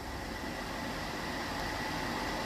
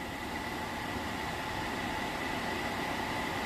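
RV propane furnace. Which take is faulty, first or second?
first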